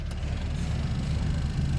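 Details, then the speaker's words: Honda Fit aftermarket blower motor after resistor repair, at lowest fan speed: loud, rough, uneven low drone instead of a quiet hum; the blower motor is rubbing internally and noisy. "that's two three and the highest settings so there you go this blow motor is noisy though I got to pull it back out don't you just love aftermarket garbage"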